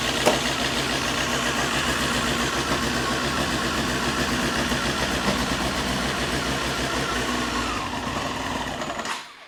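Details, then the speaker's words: Honda CBR954 Fireblade, first start after 6-month rebuild with freshly primed fuel and oil: fires and runs rough for several seconds with uneven ragged note, then dies; owner suspects fuel, adds more, unconfirmed. "I think it's fuel I think I mean I put quite a lot of fuel in there but it's fuel right let's get some more juice in it"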